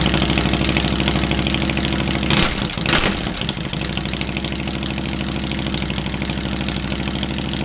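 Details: Harley-Davidson V-twin, first start of spring after charging the battery, started through a direct starter button bypassing the starter system after the Harley click: brief cranking bursts, then catches into loping, steady idle.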